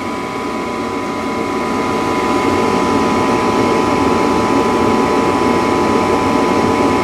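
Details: Furnace that short-cycled, after its plugged pressure switch hose was cleared. A steady blower rush swells gently as the burner catches, then a smooth even roar holds: the furnace lights normally.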